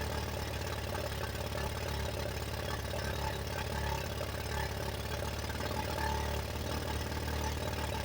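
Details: 1985 Yamaha Moto 4 single-cylinder on its old carburetor, warmed up and on choke: rough idle that wavers and sags as if about to die; stumbling and cutting out, old carburetor blamed and to be replaced.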